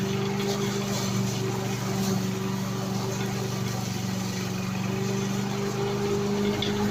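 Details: Victa petrol lawn mower after repair, blades refitted, previously stuck at full revs with throttle not adjusting: small engine holds a steady, even hum without surging or hunting; running normally.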